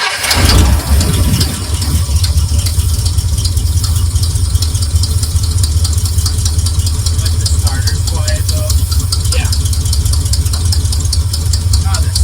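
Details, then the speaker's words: Squarebody Chevy truck V8 running on its own carburetor after the fuel hoses were swapped, choke zip-tied: deep, steady burble settles into an even idle with no misses or stumbles; running well. "So fucking good. Do we want to cut that zip tie off the choke? Yeah. Sounds better."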